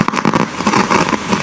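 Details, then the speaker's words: Amplifier with one clean channel and one distorted channel: irregular popcorn-like popping and crackling bursts after the IC was reinstalled; the microphone/karaoke switch had no effect. "Diba meron tayong popcorn sound na naririnig nung ibinalik ko yung IC."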